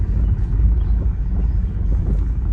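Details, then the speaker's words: Tesla Model Y on a road test: low thumps every second or so over bumps from the left front. A shock or upper control-arm ball joint on the nylon/plastic suspension parts is suspected, but the arm wasn't loose. Only loose gravel found; noise persists, cause unconfirmed. "我们再去路试一下，没问题的话就可以交车，可能是个乌龙。事实证明啊，这个响声还是存在的，而且响得非常的明显。"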